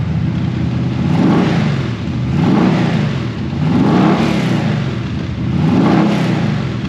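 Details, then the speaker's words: Holden LX Torana V8 barn find, already warmed up, exhaust temporarily dumped before the diff with tailpipes removed: deep rumble swells and falls in slow, even revs, pulling cleanly and settling without miss or knock. "So as you can hear, sounds killer, but the diff dumper thing, that's only temporary."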